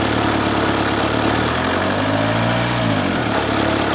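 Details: VW camper with a swapped-in AHU TDI engine and new ECU: an uneven, lumpy diesel idle with dips and recoveries and one cylinder misfiring, with white smoke. Injectors are to be pulled for repair, and pump timing is suspected slightly off.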